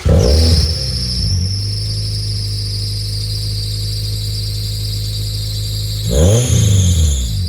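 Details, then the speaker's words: 1998 Honda Prelude at about 1600 rpm idle after EGR valve fix for hunting idle; steady high-pitched squeal from the fan/accessory belt rides over the fast even idle, sharpening on revs, belt slipping. "there's a big big squeak coming from the fan belt that we got to S out as all so ignore"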